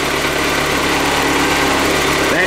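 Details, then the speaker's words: 18-year-old BMW K1200RS, cold start, clutch slip cured: at idle a busy whirring rattle over the engine note from the clutch thrust/release bearing that pushes on the clutch plates. "noise is a bearing that pushes in the clutch plates."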